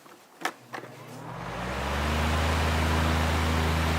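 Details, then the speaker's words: 12-inch Windmere oscillating fan, after servicing, on high, recorded close to the motor: spins up almost instantly to a steady, even hum with no rubbing or ticking; normal fan motor running on high. "not much of a startup though it's basically instantaneous"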